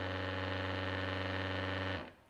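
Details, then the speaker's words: DeWalt 20V MAX Grabo suction lifter on stainless top: steady low buzzing pump hum for about two seconds, cutting off cleanly at -12.3 PSI and holding; normal operation. "and you see it's achieved at 12.3 it shut the vacuum motor off and it's still holding that at at 12.1"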